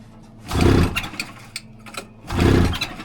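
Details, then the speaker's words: Rebuilt 1999 Polaris XCR800 on first fire-up, no coolant: two recoil pulls with quick chuffing spins, never catches; suspected flooded, then judged to need more gasoline, not confirmed. "Oh, it's not flooded. It needs gasoline."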